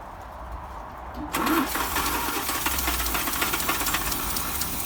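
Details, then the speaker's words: 1955 Land Rover Series One, rebuilt engine first start after about 50 years, refurbished starter, timing being set: quiet cranking then engine catches and runs unevenly with a ragged, stumbling beat; owner suspects fuel supply. Rough running after start. "okay so however briefly that was that was running on its own"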